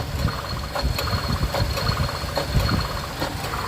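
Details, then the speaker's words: 2000 Honda CR-V B20Z, warm, 91-92F day, returning to idle after revving with very high AC high-side pressure: sharp clicks every half second over a wavering idle; AC compressor clutch short cycling. "now watch when i let off the uh accelerator click click click click click it's clicking you hear it and look at my meter"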